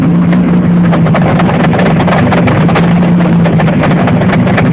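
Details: Pontiac Fiero with 3.4 DOHC engine at idle: loud, steady engine roar with a sharp rapid tapping riding over it; cause unknown.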